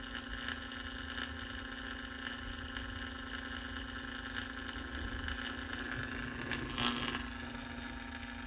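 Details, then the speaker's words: 1949 Packard Bell AA5 Model 100A radio powered up to 120 V on a variac after component replacement: steady low hum and faint crackle, no stations received; cause was a lead accidentally cut while testing resistors. "And we're looking pretty good. I'm not picking up anything though."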